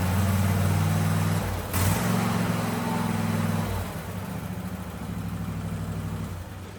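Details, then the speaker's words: $50 barn find after fuel and cleaning work, previously sat unused: even low putter steady, easing and picking up with no misses or knocks; runs well, slight smoke possibly from sitting or brake cleaner residue. "But hey guys, it runs. Sounds like it's running good. It was a little smoky, but hell, that might just be from sitting."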